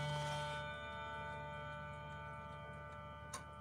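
A clear ringing chime fades out over soft, regular ticks; the clock is running and chiming properly.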